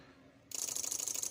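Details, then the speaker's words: Daihatsu Grand Max after ECU crank-sensor resistor fix, ignition cycled on/off five times first: quick even cranking catches straight away and starts cleanly; normal starting. "Nah, ini ee seperti ini bisa ee hidup ya, hidup normal seperti ini."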